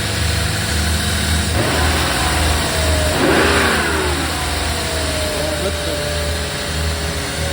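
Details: 1995 BMW 540i E34 V8 after engine refresh (new seals, spark plugs, valve covers, gaskets, valley pan), Seafoam sprayed in: steady idle with clean rev, no knocks or misses; runs nicely but idles high, owner suspects throttle position sensor mix-up.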